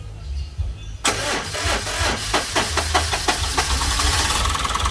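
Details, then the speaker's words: Suzuki Super Carry, hot hard-starting: starter churns in quick uneven bursts then engine catches after ~10 minutes cooling; starter cranks strong when cold but slow when hot, so starter replacement planned after injector swap didn't fix it. "Oh try nating palitan guys ng kwan ng starter kasi agag malamig siya malakas yung kanyang redundo pero agag mainit mabagal."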